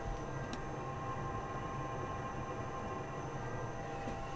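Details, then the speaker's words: Truma diesel heater in a VW LT35 camper van, newly installed, heard up close with the mattress removed so louder than normal: steady low fan rumble with faint even hum, no knocks, rattles or surging; running normally, warm air from all vents. "Right, the Truma is now up and running. I'm just going to bring you closer so you can hear it. Obviously, there's no mattress on right now, so it's a bit louder than what it will be, but even now it's pretty quiet."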